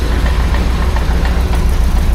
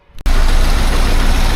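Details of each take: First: 1976 BMW 2002 (E10) with M10 engine at idle: a deep rumble with a loose knocking about three times a second from the exhaust touching the underbody; the exhaust needs raising slightly, and there is also a small exhaust leak. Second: 1976 BMW 2002 (E10) M10 petrol with new Weber-style carb and swapped-in coil, listened to underneath: idles with a steady, even low rumble, no knocks or ticks, running quiet; a hot exhaust shield may touch and make noise.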